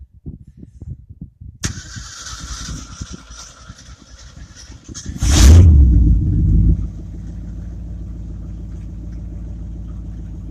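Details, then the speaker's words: 1967 Ford F-350 flatbed truck with a 302 V8, started for the first time in a couple of months: cranks briefly, catches with a loud flare, then settles to an even low idle; normal start. "There she is. She starts and runs."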